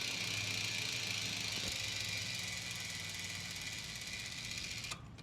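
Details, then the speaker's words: Three-speed bicycle internal hub, coasting in second gear, microphone held near the hub: light rapid even ratchet clicking that stops cleanly; normal freewheel clicking. "so that's what second should sound like and then here's third third speed third gear that's normal"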